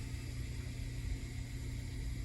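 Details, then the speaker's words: Macintosh SE with no video output, booting: steady low hum with a faint constant tone as the loud hard drive spins up and the machine boots from it. "it's got quite a loud hard drive um you can hear it spinning up"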